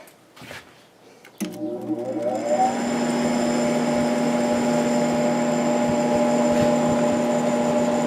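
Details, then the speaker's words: Sharp 8,500 BTU window air conditioner, freshly cleaned, no rust, two broken bottom parts, just started in the window: compressor and fan kick in and settle to a steady, even, quiet hum; outside grate vibrating, usually stops after a while. Normal running. "Pretty quiet. Too bad that grate on the outside is vibrating. That usually stops after a little while though with these."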